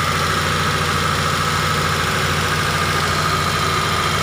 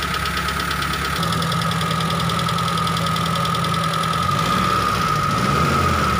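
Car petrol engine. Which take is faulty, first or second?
first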